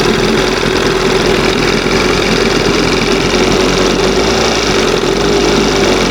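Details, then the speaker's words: 1971 Johnson 20 hp outboard, two-hole butterfly carb leaned a little: steady fast buzzy drone well above normal idle, stuck just after second mark; high idle, suspected air/fuel leak, reeds or pump diaphragm. "Now, see that's right after the second mark. It won't idle past that."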